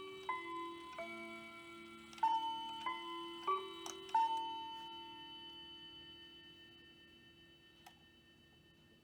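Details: Hamilton bracket mantel clock from an estate sale; the movement doesn't run but the chimes work. Quarter-past chime is about six clear bell notes in a melodic run, then a long clean ringing fade, a healthy chime.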